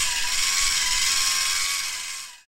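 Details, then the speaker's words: Homemade 3D-printer filament extruder with a 100 W heated aluminium block and 1.5 mm brass nozzle, running about 12 inches per minute: a high gear-motor whine sags and wavers as the undersized drive motor bogs under load, varying output diameter. "I'm running about 12 inches per minute you can hear the motor bogging down and this does affect the output diameter"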